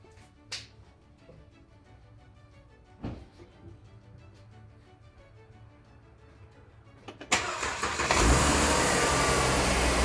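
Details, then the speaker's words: 2011 Mercedes-Benz W212 E350 V6 after serpentine belt tensioner replacement (the old tensioner was off plane, so the belt rubbed a pulley): clicks, then the engine starts and settles into a smooth idle with no belt chirp or rattle. Fixed. "Okay, so it looks like that was the issue. The tensioner was off the plane."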